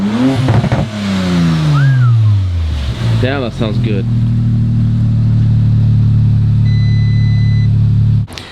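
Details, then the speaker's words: Rebuilt 2019 Audi RS5, in drive: engine revs up and settles to a steady smooth drone with the wheels turning, no knocks or grinding; running as it should. Normal running in gear. "far everything's looking like it's running how it should"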